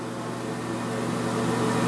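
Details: Air King bathroom exhaust fan after repair (blower wheel/motor serviced to cure a rattle), cover back on: steady low motor hum with soft even airflow, running smoothly and quietly.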